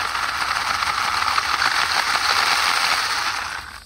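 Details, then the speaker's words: WLtoys brushless RC car, 60A ESC on 3S, on 50+ mph speed runs with a cracked left-rear wheel: fast gritty chatter over a high motor whine under hard driving. Spur/motor gear noise suspected, not confirmed. "that's why I ordered a spare no worries oh yeah Spurs making some some noise"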